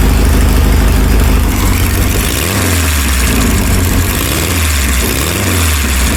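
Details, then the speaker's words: Volkswagen-engined dune buggy revived after sitting in a barn, new starter fitted: loud idle with an uneven, lumpy beat and a stumble every few turns; suspected dead cylinder, the front cylinder's tube stays cooler than the others. "Sounds like we might have a dead cylinder. That's pretty cool."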